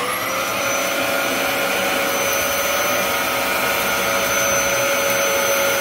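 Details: Dyson DC07 upright vacuum with brand-new clutch assembly, cleaning carpet: steady high-pitched motor whine, even airflow rush, no rattles or belt slap; running normally.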